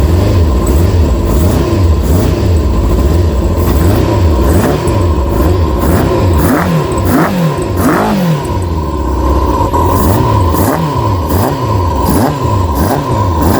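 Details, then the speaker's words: Kawasaki ZX-6R, first run in 10 years after carb clean, warming up and ticking over on its own, bit smoky, owner thinks from crud and fuel dumped in. Idle rises and falls cleanly with gentle blips, no stumbles; running healthy. "I'm going to let it warm up for a little while, and that's ticking over on its own now."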